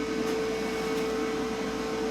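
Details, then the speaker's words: Lincoln Power MIG 210 MP after drive motor replacement: steady hiss with a thin constant tone as shielding gas escapes at the gas block instead of the gun; owner is unsure whether the MIG gun or the flow meter is at fault. "I hear it coming out by the gas block"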